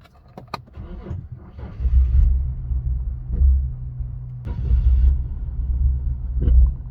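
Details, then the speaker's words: Nissan 350Z that had run out of fuel: the engine turns over and catches briefly, surges a few times, then dies; fuel-starvation stall. "so the car shut off obviously like I said but let's see if it starts oh this started but it sh off"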